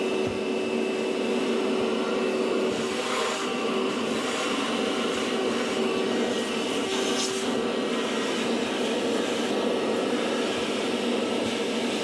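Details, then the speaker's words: Maytag MDB9959SKZ dishwasher, about four years old, has grown louder over time; during the wash/recirculation cycle there is a constant rough grindy whirring and steady whine from under the tub; worn pump assembly, fixed by replacing part W11416363. "We were at a friend's house and their dishwasher was so quiet. But listen to this thing. Oh, definitely the sound's coming from underneath here."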